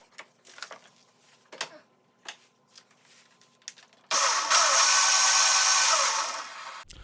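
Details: Razor MX125 electric dirt bike after fixing the controller that caused clicking and no throttle: a few light clicks, then a smooth, even high whir for nearly three seconds that spins down cleanly; the motor runs fine.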